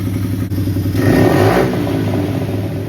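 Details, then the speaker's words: GPX/Pister Pro 110cc dirt bike after carburetor cleaning and idle screw adjustment: crisp, even blips straight up from idle with no bogging or hesitation. Normal revving and throttle response. "That seems to be a pretty good idle. And it doesn't bog down when you go to throttle."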